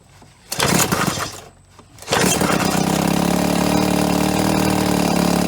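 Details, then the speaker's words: 1990 Evinrude 3.5hp outboard barn find, fitted with Champion J4C plugs and running on little fuel: after a pull and a brief catch it fires and settles into a steady, even, very smooth buzz with no stumbles; normal running. "in 90 lives again very smooth"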